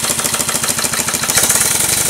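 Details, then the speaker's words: Showman's traction engine with top valve gear, under test as speed is raised after a new ring was fitted to the HP piston: rapid rhythmic chuffing with heavy continuous hiss; about 80% steam blow-by persists, cause unclear, valve looks fine. "We still have the bypass problem. We put a new ring in the HP piston. The valve doesn't look like it's any condition to blow by that much, but there's still about 80% steam blow by"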